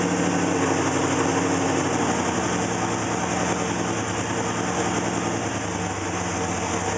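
Engine idles with an uneven, stumbling beat, roughly three or four pulses a second that never settle; rough idle, cause unclear.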